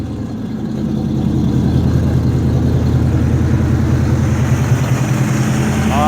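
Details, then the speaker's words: 1972 Chevelle revived after sitting five years: deep, steady V8 burble at idle with even firing and no misses; 14 volts from the alternator, 50 psi oil pressure, 6.5 psi fuel pressure despite a small fuel drip. "listen to her she says yeah it's good i like it this is exciting now you can hear the exhaust neck a note without it"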